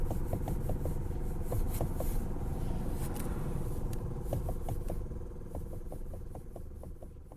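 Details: Hyundai Elantra HD, driving: light sharp knocks about three per second over low road rumble, uneven in spacing; a worn steering shaft universal joint (cross-joint) is knocking.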